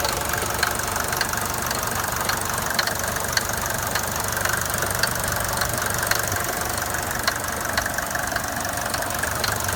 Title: Mercedes 200D W124 engine knocking noise